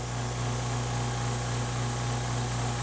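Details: Air compressor running indoors off a DeWALT DCB1800 1800 W battery portable power station, no engine: even low motor drone with a steady chugging pulse several times a second, no knocks; compressor runs normally.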